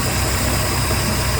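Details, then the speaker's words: Warm idle on a 2007 Tahoe boat with 4.3L Mercruiser TKS carburetor, after replacing the failed enrichment valve that caused no idle once warm; after about five minutes the enrichment hiss has stopped, normal mixture, steady even idle without hunting or stumbling. "so now we're just running at a normal fuel error mixture no enrichment going on"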